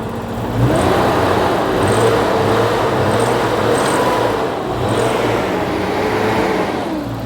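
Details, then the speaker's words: BMW E34 M5 with S38 engine, 335k miles, junkyard car in California; engine picks up cleanly and revs freely with smooth even note, no misses or stumbles; healthy revving. "oh it actually revs up now yeah that's a happy s38 that's way better right I was confident the whole time I think she's happy again"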